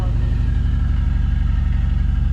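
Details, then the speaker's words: Nissan Z drift car just after an engine swap, first start, thick oil, oil pressure gauge reading 120 (sensor believed faulty): deep, low idle thump with a slightly uneven pulse; a little shaky and rough. "it's definitely a little shaky little rough"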